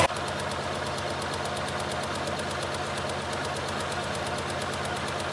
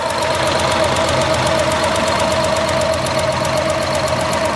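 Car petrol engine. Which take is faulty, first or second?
second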